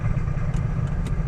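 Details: 2008 Honda Odyssey, about 170,000 miles: quiet in park, deep heavy rumble and clatter when put in gear and the van doesn't move; front CV axle joint found wobbling with broken balls inside.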